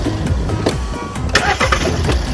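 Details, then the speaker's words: Hot restart with engine still warm, after cleaning a dirty intake air temperature sensor that caused hot no-start: catches at once and settles into a steady, even idle with no stumble; fault fixed. "哇，发动机运转的特别平稳，来你看，问题已经彻底解决了，怎么样？"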